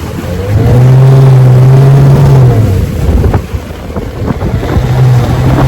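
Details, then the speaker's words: 1971 Johnson 9.5 outboard at higher throttle: steady drone drops out and sags a couple of seconds, then picks back up; not like a missing spark plug, sounds fuel-starved; suspected bad fuel pump or clogged carburetor, not confirmed. "Doesn't sound like it's a spark plug missing. It sounds like it's lacking fuel, like either a bad fuel pump or clogged carburetor."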